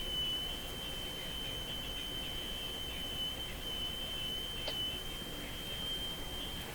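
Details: Sparton Model 5049 radio oscillating on its own when its IF transformers are peaked: a thin, steady high whistle holds unchanged over faint hiss the whole time, indicating spurious oscillation somewhere in the circuit.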